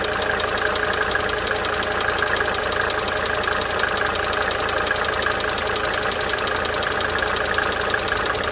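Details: 1992 Mercedes-Benz 300D 2.5 turbo diesel idling for several minutes, brief talking at start; light, quick tick near three per second fading in and out over the clatter: cyclic injector ticking.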